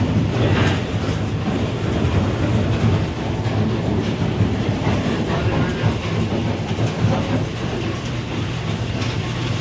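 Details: Grain pit auger and bucket elevator leg after replacing the 480 V auger motor, rotation confirmed counterclockwise: steady low rumble with even rattling clatter, no surging or grinding; running normally.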